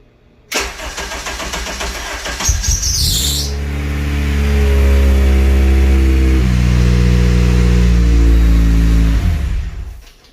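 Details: Car first start-up after intake manifold, throttle body and vacuum port work, intake manifold tuning circuit disabled, battery on engine start; cranks briefly, catches cleanly, settles into steady even idle, no knocks or misses.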